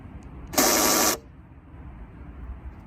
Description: Honda Civic (2018 CVT Sport) was making a buzzing noise when locking the car. Found out that I needed to replace the Actuator Assembly Fuel Lid (Part Number 74700-TBA-A02) that locks/unlocks the car gas lid.